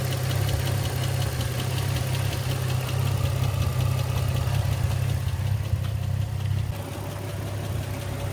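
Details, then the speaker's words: 2004 Infiniti G35 sedan (VQ35DE, 6-speed manual) at idle: fast, light ticking that keeps pace with engine speed; owner suspects a lifter tick that developed over a couple thousand miles and persisted after a fresh oil change. "But it did develop a lifter tick under my ownership cuz I've probably put a couple thousand miles on it already. I already did a fresh oil change on it and I still got the lifter tick."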